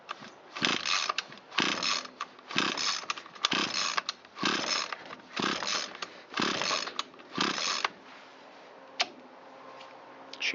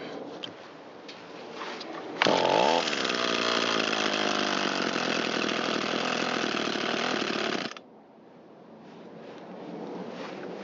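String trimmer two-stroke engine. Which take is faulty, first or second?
first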